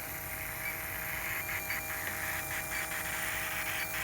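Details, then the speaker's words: Ultrasonic leak detector near a running refrigerant leak detector: steady hissing static with bright flutters from air sucked through a small hole at the refrigerant detector's pump intake, giving false leak readings. "do you hear that that's what i hear in my ears okay this is why when you see the guys using this piece of equipment but they have one of these on in the background and you see their meter flipping around and they're looking for a leak"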